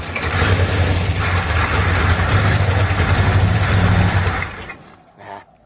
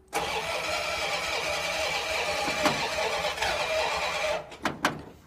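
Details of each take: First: 1935 Ford truck, previously locked up, revived after years with carburetor working and ignition newly wired: catches at once and runs evenly about four seconds before shutoff; ignition wired correctly. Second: 1935 Ford truck, previously locked engine, being revived: about four seconds of steady cranking with a few weak coughs and no catch; flooded from a stuck carburetor float, vacuum leak also found.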